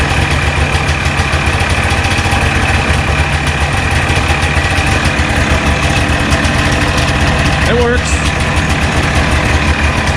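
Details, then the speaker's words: 1989 Arctic Cat Jag 440cc two-stroke snowmobile, first startup after carb clean and needle work to fix fuel delivery: busy, crisp idle staying even with a quick throttle blip, running cleanly; sounds much better. "this is the first startup after we just did that carb clean and the needle thing and all that crap so caleb's going to go ahead and try to fire up sounds much better"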